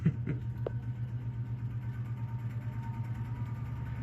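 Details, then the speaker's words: 1956 Emerson 77648-SO desk fan, just fitted with a replacement cord, first switch-on after long storage outside behind an antique store: small clicks, then a low steady mains hum and faint whir, nice and quiet. Normal running. "The blade was, even when I first got it and it had been sitting outside behind an antique store for I don't even know how long, the blade spun very smoothly. I was impressed. It's nice and quiet."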